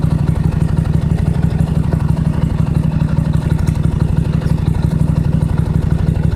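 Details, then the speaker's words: Toro LX425 lawn tractor, cold start on jumper cables with choke on after battery dead a while, new spark plugs: deep even thumping about three beats a second, no misses or knocks; started well, normal clean idle. "see if she'll turn over do that month while starting basically it started real good"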